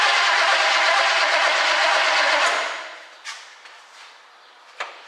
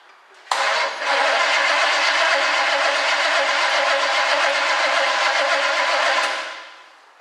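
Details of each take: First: 1967 Chevy Camaro project, no-start: cranked from under the hood with remote starter button wired to starter S terminal and battery positive; starter spins engine at steady even rhythm for a couple of seconds, engine turns freely, not seized. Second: 1967 Chevy Camaro project, cranked via remote starter button on starter S wire with key on: engine spins steadily around 160 rpm but never catches; crank no-start, no spark seen at all.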